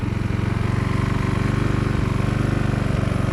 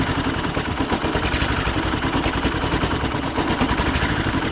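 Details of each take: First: Husqvarna walk-behind string trimmer, two-stroke, after sitting for years, now with a tune-up and new carburetor and warmed up: smooth, even idle of about four pulses a second. Normal idle. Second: Husqvarna walk-behind string trimmer that sat for years, running after a carburetor clean: the small two-stroke runs unevenly and hunts, still stumbling, possibly from leftover debris in the carburetor; a fuel filter and re-cleaning are planned.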